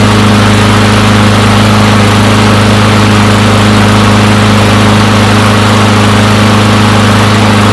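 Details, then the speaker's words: Push mower from a neighbor who said it wouldn't start; new air filter fitted, primer possibly faulty, not run in quite some time. Smooth, steady small-engine drone with an even beat about two per second, no surging or missing; normal running. "I wanted to let that run for a while since I don't think it's ran in quite some time there"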